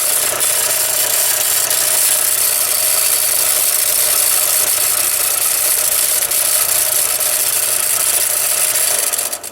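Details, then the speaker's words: Harbor Freight belt sander after repair, belt tension restored: steady, even belt hiss with a faint low hum, no knocking or slapping; running normally and less noisy than before. "and it is actually less noisy than it used to be"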